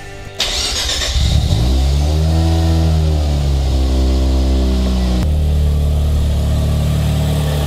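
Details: 1988 Mazda RX-7 FC3S rotary, warmed up after coolant burping, after exhaust leak repair: fires, flares briefly, then settles into a steady, even idle with no leak puffing.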